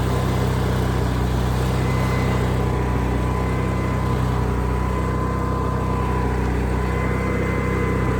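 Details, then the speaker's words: Onan generator running steadily after an inline fuel filter was added, with the side cover on so it runs quieter; an even drone with no misses, knocks or surging, so normal healthy running. "all right let's start it up and then notice how much quieter this is when I put this side cover on"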